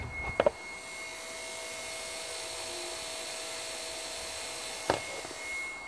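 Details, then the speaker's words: Mitsubishi Shogun, HBB brake booster pump, ignition on, system not yet bled: faint steady high electric whine runs on without stopping because it is not building pressure to the point where it should stop. "I can definitely hear the motor but obviously he's not building the pressure he should build the pressure to a certain point and stop"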